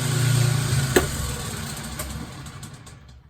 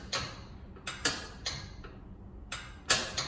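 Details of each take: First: Kenmore 70 series washing machine at spin cycle with clothes loaded: low motor hum spins freely at the bottom of the agitator shaft then fades, drum and agitator not moving; broken motor coupling. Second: Newly installed lid switch on a Kenmore 70 Series top-load washing machine that would not spin, tested by hand: several crisp, sharp clicks, irregularly spaced; the lid switch actuates properly.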